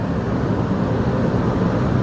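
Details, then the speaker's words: New Advent 15K BTU rooftop RV air conditioner, just installed, first run after refitting thermostat from old unit cleared E5 error, before compressor kicks on: steady even whoosh of air, low hum, no rattles or scraping; normal fan running. "Okay, let's wait for the compressor to kick on. Now really good. Yeah, it's blowing a lot of air."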